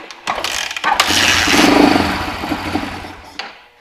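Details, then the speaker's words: Engine with new Briggs & Stratton fuel filter and gas valve O-ring fitted: catches with coughs, surges briefly, sags and dies within seconds; carburetor not pulling fuel through main jet, some passage plugged, carb must come off. "all right well it definitely runs and it definitely has carb problems it's not pulling fuel through the main jet"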